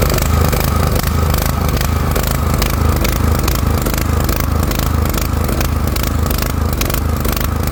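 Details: Four-stroke petrol generator that runs badly and stalls: loud, uneven running with irregular sharp exhaust pops, two or three a second. Valves or very late ignition are suspected.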